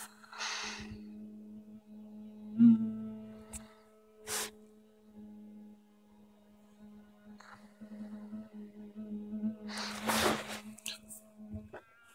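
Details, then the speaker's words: HTC One (M7) smartphone powered off yet vibrating, starting around 4:37am with brief 20–30 second pauses: steady low buzz partly masked by breathing; vibration motor running while off, cause unknown. "The phone is currently off and still vibrating."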